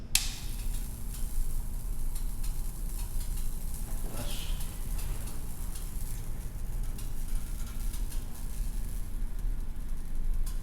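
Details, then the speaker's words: Mt. Fuji Inn neon sign, electrode in housing with new longer jumper between tubes, transformer on: constant faint frying crackle over low mains hum; corona and arcing at electrode can, ground fault, rust from discharge. "Corona, the can. Can you hear it? Decent amount of electricity flowing through my hand and into onto the trailer, actually."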